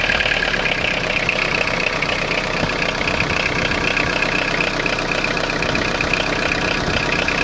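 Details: Citroen Jumpy/Dispatch XUD9TF diesel with a clattery, uneven rough idle. Owner suspects air getting into the fuel line; a replacement fuel filter didn't help. With timing advance plugged in it hesitates; unplugged it runs rougher and louder but pulls well. Cause unconfirmed.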